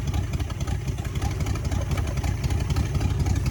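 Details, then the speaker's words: 1966 Buick Sport Wagon V8 started dead cold after repairs, oil reaching all pushrods: deep, steady rumble with an even loping beat on all eight cylinders and no knocks or ticks; a smooth cold idle. "wow listen to that that is all eight baby that is all eight and we got oil all the push rods are spinning it sounds great yeah man woo listen to how that thing Island Dead cold"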